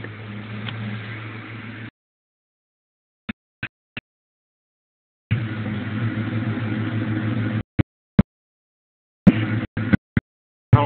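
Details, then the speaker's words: 2004 Ford Mustang GT V8 with what are believed to be four-chamber Flowmaster mufflers, warmed up, exhaust note heard at idle. A deep, even burble with no misses or ticks, a normal healthy idle. "if the exhaust notes coming through I'm sure it's indicative of any must equipped with flow Masters on it"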